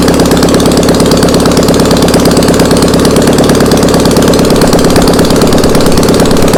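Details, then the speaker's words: Air-cooled VW Beetle flat-four sitting two years, on a start stand: steady, slightly uneven idle with no dying heard yet; it ran out of fuel and stalled as it was throttled up moments later. "Out of fuel. All right, well, it ran out of gas right when we went to throttle it up again."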